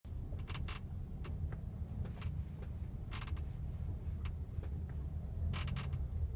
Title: Скрип подвески Kia Sportage